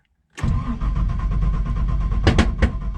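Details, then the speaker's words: Nissan Patrol with an LS1 V8 swap, unstarted for a while, on a freezing day, fuel pump primed: the starter churns steadily, then four sharp backfire pops while cranking and it doesn't catch. The owner suspects it may be out of fuel. "Oh, backfire. Couple of backfires. Turn it off. Prime it again. Hasn't been started for a while, so."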